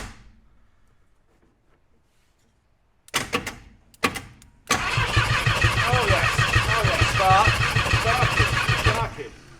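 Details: 1951 Chevrolet Fleetline, first run attempt, spark checked during cranking: two short starter bursts, then steady even cranking about two beats a second, turns over freely but doesn't catch; spark present.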